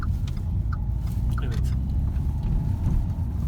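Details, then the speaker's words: 2012 Renault with EDC gearbox after repair (gearbox removed, bearings, differential bearings and seals replaced), road test through a turn: low even rumble, earlier growl and whine gone, no whine, howl or grinding; gearbox healthy. "ses yok o ve diğer testlerde iyi hiçbir problem hiçbir olduğu bir test geçirdiğimiz hiçbir sıkıntı kalmadı arkadaşlar"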